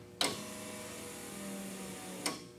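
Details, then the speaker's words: 1963 Chevy Nova with 5.3 V8 and 4L60E swap, E2000 fuel pump, first start: a click, then about two seconds of faint steady hum and a second click, fuel pump priming normally. "hear that fuel pump you're at now what that safety wire dude"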